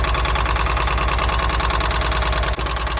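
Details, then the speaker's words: 1983 VW T3 Vanagon right after a broken head stud was replaced and head seals renewed, idling while warming up. A fast clicky clatter of about three a second rides over the idle. Owner suspects hydraulic tappets not yet pressurised; it seems to be firing on all four. "but the engine note changed I mean it was quite clicky clicky clacky cuz usually it takes a while for the um for the taets to build pressure"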